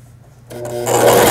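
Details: Brother XL5500 sewing machine after a full repair for a bent needle bar. Sewing an overlock zigzag at width 5: quiet at first, then an even, fast stitching whir with no knocks or catches; normal operation.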